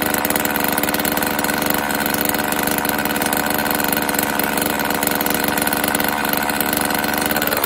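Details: Homelite XL chainsaw, cold choked start after carburetor rebuild and new fuel/oil lines and fuel filter: steady even high buzz with no misses or surging, holding speed; chain oil pumping, low-speed screw slightly adjusted; normal running.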